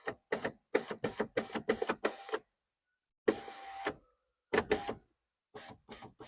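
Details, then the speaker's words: Nissan Townstar window motor driven via test light grounding green (up) and blue/white (down) signal wires: short whir bursts with clicks and pauses, smooth even run, no grinding; signal wiring and motor good. "So our wire our signal wire from the switch all the way to the motor is good. The motor is good."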